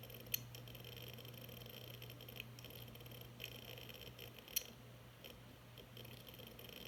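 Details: Hard drive making loud clicking and "beeping" noise after being dropped 3 ft: sharp, irregular clicks roughly once a second over a low steady drive hum, a failing hard drive; cause unknown to owner.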